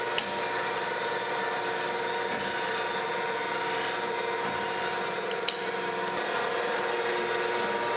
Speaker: i'm just going to let it kind of go back and forth blank pass on it a couple of times until i hear it quit cutting stop seeing any sparks and we should be where we want to be